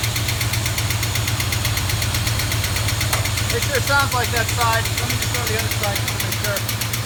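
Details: 1973 Plymouth Duster 360 V8, engine about 25 years old, cold idle: fast, light ticking over a lumpy idle, happens only cold and stops at operating temperature; one sticking lifter suspected, side not yet identified.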